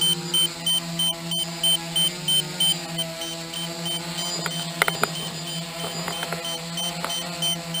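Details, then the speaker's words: Low-battery warning on a DJI F450 quad (stock 2212/920kv motors, DJI 30A ESCs, 5000mAh 11.1V 3-cell Hyperion pack): warning set at 10.8 V, remote beeps about three times a second over motor hum while the light flashes. "so my warning is set to 10.8 and you'll hear a beeping on the remote as well as the light flashing that's my early warning that it's time to I bring the quad back"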